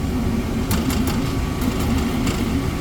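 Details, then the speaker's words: Brand-new R290 refrigerator after replacing the vibrating condenser fan motor with an OEM motor: steady low even hum, nice and quiet, no rattle or vibration. "nice and quiet so there's just some weird vibration in this motor causing that issue"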